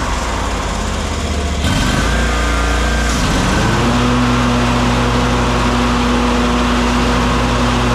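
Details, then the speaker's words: Kawasaki FS541V on an Exmark Vantage S stand-on mower, previously popping and weak with blades engaged; after repair a brief start-up stumble, then a steady, even hum with no popping or missing: runs beautifully. "[Music] Runs just beautifully. Heat up here."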